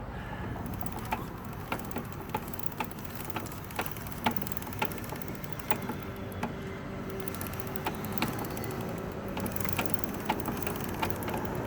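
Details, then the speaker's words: 2003 Suzuki GSX-R600 running: sharp, loud clicks about twice a second over a low, steady engine rumble, seemingly from the transmission and felt through the bike; loud clicking, cause unconfirmed. "loud clicking sounds like it's coming from the transmission and I can feel the clicking all the way back here on this matching garden"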